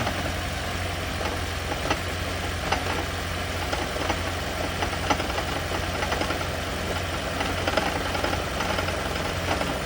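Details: Toyota/Lexus hybrid (CT200h/Prius) engine at a rough idle with an uneven metallic rattle roughly once a second, a "death rattle" attributed to the EGR system.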